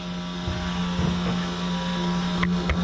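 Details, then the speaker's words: Diamondback airboat electric fuel pump running with key on after the fuel pump relay was plugged on: steady low hum with even pitch and no stutter, building fuel pressure normally. "so now we're going to turn our key on fuel pumps running"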